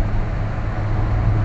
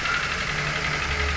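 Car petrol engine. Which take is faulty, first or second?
second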